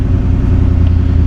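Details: Salvage-title 2019 Ford F-150 5.0L V8 with front-end damage, jump-started from a 2-volt battery, check engine and traction control lights on: a deep, smooth, even idle with no knocks or misses; it idles healthy.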